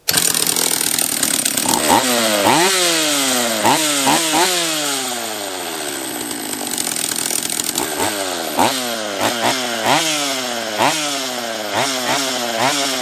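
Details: Refurbished Husqvarna 44 chainsaw on its third heat cycle after reassembly, just after the carb was leaned an eighth turn for richness: revs jump and fall away in ragged bursts with no clean idle or steady high speed. Owner suspects a lower-end vacuum leak.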